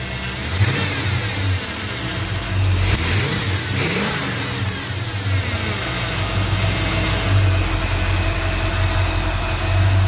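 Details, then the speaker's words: 1952 Navy truck, first fire-up after build with initial timing set, no exhaust leaks heard: deep idle picks up cleanly with a couple of throttle blips and settles back evenly with no misses or ticking; normal rev response. "yeah all pretty happy right now with that we'll see how it does out on the road"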